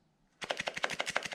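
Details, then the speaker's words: Hosim X08 RC truck battery pack shaken: about a dozen sharp, dry clacks in a second as a cell broken loose inside the plastic case rattles around; loose cell in battery pack. "that's not normal that should not be that should not be happening it means the battery inside this pack has broke away from whatever they did inside this plastic"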